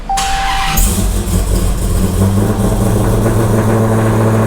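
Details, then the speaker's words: Hellcat 6.2L supercharged HEMI V8, after exhaust valves were replaced to cut drone: starter whirs briefly, engine barks awake into loud steady rumbling idle; still loud but not droney inside, valves open and it quiets after a minute. "It's still loud, don't get me wrong, but at least it's not like super droney in the car, whatever those little valves do."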